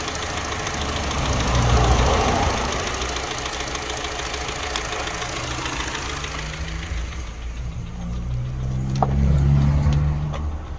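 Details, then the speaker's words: Mini Cooper R56 N12 petrol engine with new plugs, good fuel pressure and coils, and timing verified: smooth idle, then knocking and stumbling when revved; misfire with knocking, suspected Valvetronic fault. "since i put that in it started moving the voltronic um and then the engine perked up and started running perfect um on tick over but soon as you rev it up it starts knocking its nuts off"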